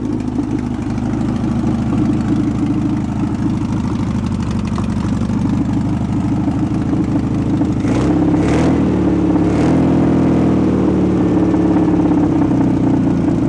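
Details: VW bus left 31 years in a field, air-cooled flat-four, original carburetor refitted, choke half on, battery on charger: low busy rumble running steadily with throttle blips; normal idle.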